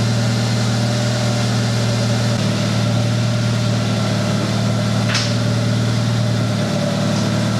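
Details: 1996 Honda Accord after completed head gasket job, first run in about a month: smooth, even four-cylinder hum at steady pitch, no ticking, misfire or wobble; normal idle.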